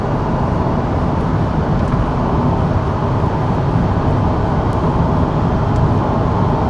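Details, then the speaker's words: 1995 Ford Crown Victoria LX, under 12,000 miles, at highway speed, about 25% throttle, engine still a little cold: even low road drone with no knocks, whines or rattles; normal highway cruise. "Even at highway speeds, very quiet."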